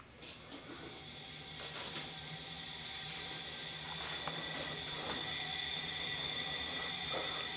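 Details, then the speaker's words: Honda Accord leakdown test on the no-compression cylinder, engine off: steady rising hiss of air escaping, nothing from exhaust; suspected leak between the two cylinders. "am I listening just hissing noise air coming out it definitely here's the difference something coming out but it's not ping"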